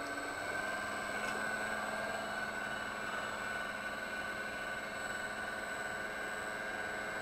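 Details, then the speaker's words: Danfoss high-pressure misting pump after rebuild, speed raised to 35 Hz and higher: steady even hum with constant tone, no knocking, surging or rattling; running quite smooth. "and there it is that you know at 35 hurts you know it's raining quite smooth with it turn it up a little higher here"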